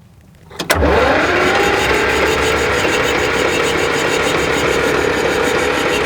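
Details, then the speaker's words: 1959–60 Cat D7D bulldozer diesel, sat over 10 years, levers in neutral and compression release in start: the starter spins it over at an even, quick rhythm with no binding. Engine cranks freely. "all right so that sounded pretty good right I'm not going to lay on the starter for a while because I don't want to heat it up"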